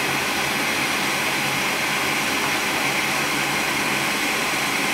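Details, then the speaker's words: Goodman gas furnace on a no-heat call, after cleaning the flame sensor and port and cutting back hoses so the inducer pulls in the pressure switch: steady, even draft-blower rush with no rattles or surging; furnace starts normally. "so we'll see it should start glowing and it should fire we clean the flame sensor I just want to make sure everything runs"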